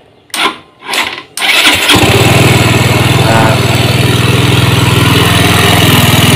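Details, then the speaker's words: Yamaha GT 125 scooter after fitting the ISC and a new ignition switch, previously stalling and unable to idle: a couple of cranks, catches, settles to a fast even putter; idle too high, mechanic suspects throttle butterfly stop was opened up earlier. "Nah sekarang gini, dia mau stasioner tapi kondisi stasionernya itu bandang ya, tinggi ya."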